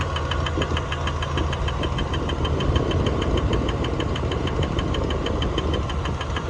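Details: 1999 Dodge Dakota 4x4 Sport, 3.9 V6, 200K miles: sharp light ticks about three per second over a steady idle; the belt looks fine and the owner suspects a pulley, cause not confirmed.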